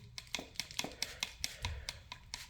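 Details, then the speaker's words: Old Chevy OBS truck, steering column rocked by hand: sharp dry clicks about four a second from the column's articulating joint and small rubber flex coupling; play there causes excessive steering play alongside worn steering box. "creo se escucha bastante el ruido tiene bastante juego aquí y aquí donde tiene el pequeño flexible de goma creo que es aún mucho más evidente el juego que tiene"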